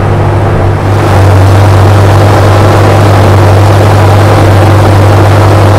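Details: 1980 Corvette C3 5.7 V8, revived after nearly 10 years sitting: a deep, steady rumble at an even idle while warming up, choke off, oil pressure good. No knocks, misses or hunting; a healthy engine.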